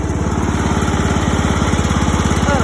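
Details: $50 John Deere mower after its blown motor was replaced, low battery, headlights on during a charging check: quick, even single-cylinder putter at steady speed, no misses or knocks; lights brighten when revved, so it's charging; healthy.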